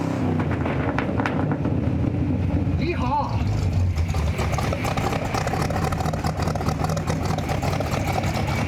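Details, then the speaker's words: 1958 Chevrolet Apache Fleetside V8 with a 4-speed manual, carburetor sat 10 years in a barn, no real mufflers, still burning off oil: deep, even burble with a steady low beat and no knocks or misses; a healthy normal idle. "I feel like it should have real mufflers. Still burning off some of the oil."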